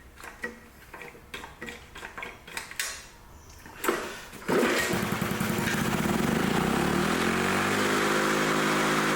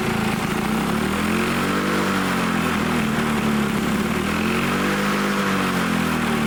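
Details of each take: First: Old Lawn-Boy Loafer rider, front mower two-stroke with a new needle valve fitted: pull-start, then it catches and holds a steady but unhurried buzz; runs strong yet settles at a low engine speed. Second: Old Lawn-Boy Loafer dual-engine rider, front mower two-stroke, dripping fuel after fueling, started on its own: buzzy note gently rising and falling in speed; carburettor untuned, main jet possibly plugged; running again.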